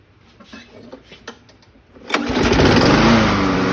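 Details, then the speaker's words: 2004 Craftsman mower with B&S 6.75 HP engine after carb rebuild and cleaning: handling noise, then the engine fires and settles into a steady, even buzz at governed speed; running normally. "So, as you see, that sounds about right where it should be running at."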